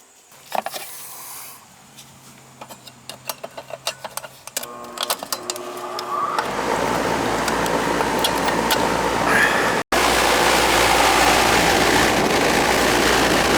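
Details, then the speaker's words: Carrier AC condenser not cooling, after compressor common wires tightened: a few clicks, then the unit starts into a steady even hum and whoosh with no buzzing or stalling; running normally and getting cold. "look it's running getting cold hmm"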